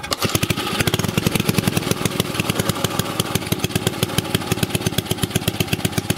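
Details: Old 2 HP Briggs & Stratton single-cylinder engine, already run earlier so started without choke. Crisp, even firing beat at steady speed, no misses or knocks. Normal running.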